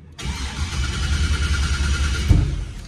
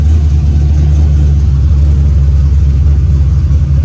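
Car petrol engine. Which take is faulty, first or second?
first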